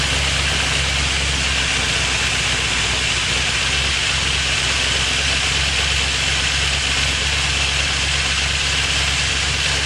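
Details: First startup after engine reassembly with Crow cams: loud, fast, even ticking clatter over the whole top end at idle as the lifters fail to pump up.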